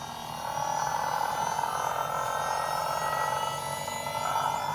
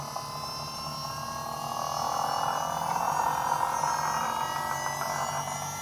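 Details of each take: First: Holden Astra electric power steering pump in an AU Falcon skid car, wired straight to the battery, wheels off the ground: spools up in half a second to a steady, even mid-pitched whine, no grinding or surging; running normally, no leaks. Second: Holden Astra electric pump in an AU Falcon skid car, wheels resting on rotors, steering turned under load: loud whine swells and rises in pitch then eases; overworked pump, and a hose then popped off.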